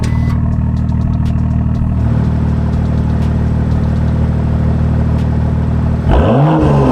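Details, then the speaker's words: BMW M2 with four brand-new tips on its M Performance valved exhaust, valves opened by remote in sport mode: a deep, even burble, then a clean rev up and back down with no rattles or blowing; normal exhaust sound. "i'm gonna give you guys some rips so you guys can hear it the exhaust is valve so it can be controlled by a button that i have inside"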